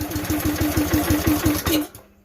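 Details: Campbell Hausfeld CE2000 gas air compressor, 5.5 HP Honda GX160-type engine, throttle cable disconnected, throttle pulled by hand: about five heavy, uneven puffs a second as throttle opens, then it dies within two seconds; fuel-starved, clogged carburetor.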